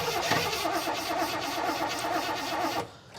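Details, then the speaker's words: Garage-find Rover P6 3500 V8 cranking with a fuel line disconnected to check for flow: even starter churning about three seconds with no firing and no fuel coming out; crank no start from a blocked fuel supply. "in a minute I'll turn the car over but I don't think so but you tell me if any um fuel spurts out of there okay"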